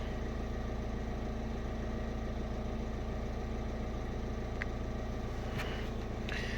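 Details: 2019 Citroen Berlingo automatic after gearbox replacement and clutch position relearn by diagnostic machine; steady, even low idle with smooth regular beat, no knocks or ticks; idling normally.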